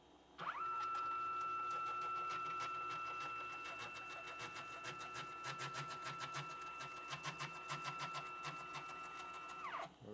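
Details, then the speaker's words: Used, owner-assembled K2CNC router, Y-axis gantry traveling on 10 TPI ball screws: steady motor whine with a fast rattling tick about three per second, worsening over time. The owner suspects bad ball screw bearings. "you hear that grinding rattling or whatever something is wrong in the bearings"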